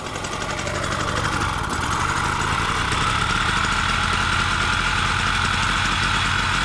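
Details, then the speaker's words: Solex two-stroke moped idling on castor-oil premix after sitting unused through lockdown: steady buzzing beat about four per second with a faint high tone, running cleanly. "so the cilix is a two-cycle two-stroke bike and you have to make your own premix"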